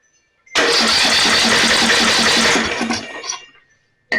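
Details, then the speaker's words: Snapper 28" riding mower, 12.5 hp Briggs & Stratton, after another shot sprayed in: catches and runs hard about two seconds then sputters and dies; flooded engine, plug soaking wet, likely worsened by cranking without spark. "Yeah, if you can see that, it's soaking wet. So, me cranking on it without fire for a while, that probably didn't help."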